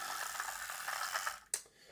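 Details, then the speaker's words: Old Lima Class 08 shunter model locomotive on test track with body on: busy high-pitched coffee-grinder buzz with rough uneven rattle inside the small motor; loose magnet or armature hitting something suspected, not confirmed. "the magnet is maybe loose or the Armature is not you know it's hitting something there's something rattling in the motor"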